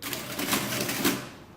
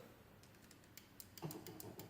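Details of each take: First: Late-1950s Lagomarsino Totalia printing calculator after repair, printing a remainder: quick run of mechanical clacks with two firm strikes, then clean spin-down; works normally. The motor runs at two speeds, giving lower or higher tones. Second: Late-1950s Lagomarsino Totalia printing calculator, multiplication button pressed: its separate motor switch clicks lightly and unevenly but no motor hum follows. The other switch starts the motor fine; the owner suspects a dirty contact inside.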